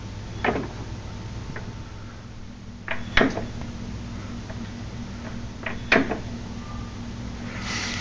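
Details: Stationary car rocked back and forth by hand without bouncing: three sharp clunks about every three seconds, with free play felt before the transmission engages each way; owner unsure if normal, cause unconfirmed.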